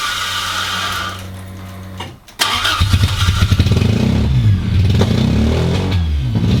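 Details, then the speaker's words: Mk1 Toyota MR2 first start in about 12 years, no exhaust fitted: starter cranks, stumbles and catches, needing some pedal; idle settles into an uneven fluttering beat about three pulses a second, owner suspects lack of use. "it also is struggling to start without a little bit of pedal and then it struggles to idle slightly and it was a bit flattery and Jo Suri and then it seemed to clear as it went on so um lack of use I would have thought"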